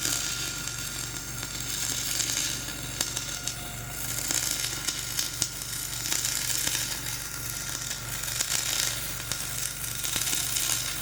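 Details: Dual-shield flux-core welding on a preheated outrigger pad, voltage up half a volt, Trailblazer one notch up on rpm: continuous crackling sizzle with uneven pops and level surges, the arc running rough over a high, ropey stick base weld.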